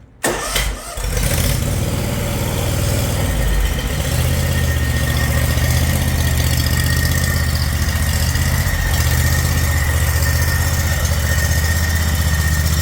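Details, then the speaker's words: John Deere Z950M zero-turn after oil-leak repair, rear shroud removed, at idle: a thin metal-on-metal scrape from the clutch area rides on the steady idle; PTO clutch anti-rotation stud rubbing. "And it sounds like metal on metal, and it sounds like the clutch or above the clutch. So I don't know what it is."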